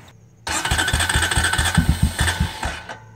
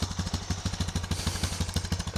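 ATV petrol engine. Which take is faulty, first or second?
first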